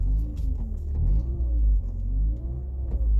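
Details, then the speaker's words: 1993 BMW E36 sedan, 1.6 chain-driven petrol engine, new clutch, while driving: smooth deep exhaust rumble rising and easing with revs, no knocks or rattles; engine and exhaust normal. "E ambreiajul schimbat, e totul țiplă. Mașina merge super, deci jos pălăria."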